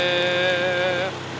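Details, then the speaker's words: Nissan M35 Stagea first start after high-flow turbo reinstall and oil-feed-line washer fix for a turbo oil leak: smooth, even idle, steady tone, no knocks or rattles, light flapping from the fan shroud; normal idle. "Right, that little flapping noise, that's just the fan shroud. It's sounding really good."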